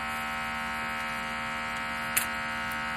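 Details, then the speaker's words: Glitz Up rhinestone applicator vacuum pump switched on: steady even buzzing drone at constant pitch with one brief tap; normal vibration hum of the pump. "this on/off switch operates the vacuum pump that'll have a vibration noise to it all that is normal it's what happens and you're going to hear a nice little drone in the background of the video"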